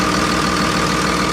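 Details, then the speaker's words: 24-valve Cummins diesel in a Freightliner MT45 step van, listed non-running, idling with engine cover off: even diesel clatter with steady rhythm, no misses or knocks; engine sounds healthy with no leaks found. "That sounds like a solid Cummins, baby. Listen how good that thing purrs."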